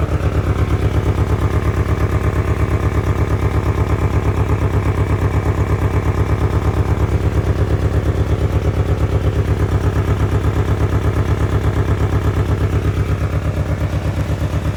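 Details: 1997 Ford Ranger 4-cylinder, unused since 2011, with fuel pump replaced in 2023 and a new battery, old gasoline and spark plugs not yet replaced: loud idle with a pronounced chuffing pulse about three times a second over a low clatter, a rough idle.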